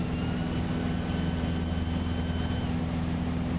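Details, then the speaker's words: Bonanza in flight, landing gear retracting: a thin steady whine rides over the heavy engine drone for about three seconds, then cuts out, and the gear-up light comes on. Normal retraction. "We'll bring that gear back on up so the 3 gears disappear. Gear coming up, you can hear it whine."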